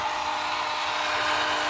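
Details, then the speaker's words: 2019 Civic Sport CVT, right after the engine started: a steady, thin high whine holds over a hiss, with a burning smell. Owner suspects the starter is staying engaged, relay or starter unconfirmed. "I think that's the starter. Oh, that's bad. It's burning."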